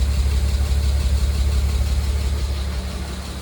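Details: W202 C280, M104.941, 193k km, timing chain, tensioner, head gasket replaced, fresh 10W40 plus lifter additive: light regular tick about three per second at idle, following revs; owner suspects lifter tick, unconfirmed.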